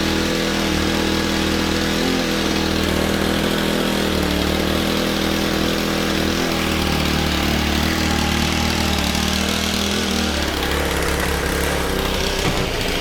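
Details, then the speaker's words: Honda FG110 tiller, GX25 engine, new Amazon carb, previously only ran on half choke: labouring wavering beat sagging near the end, struggling to hold speed; rough idle and bogging, suspected untuned carb. "So I think what we have here is a case of I bought a Amazon carb and it's nowhere near tuned to what I need it to be."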